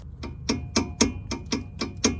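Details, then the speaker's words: 2004 Toyota Highlander, driver's side: sharp knocks about four per second as the sway bar link is rocked by hand, slight free play at both top and bottom link joints; sway bar link clunk. "basically there is a bolt at the top and the bottom on the sway bar links and both have slight free play on both sides of the suede links and that's where the l"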